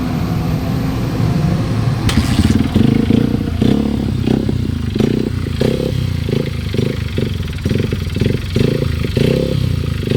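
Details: Honda XR150L single-cylinder enduro engine thumping with a sharp repeated knock about three times a second that comes and goes with throttle; engine knock, cause unclear.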